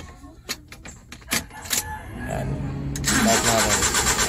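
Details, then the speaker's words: Suzuki Big Eye with F6A engine, hard starting even outside mornings: key clicks, then long steady cranking that never catches; fuel pump, ignition coil and valve clearance checked OK. "so big eye ah problema nito hard starting sa umaga kahit hindi umaga"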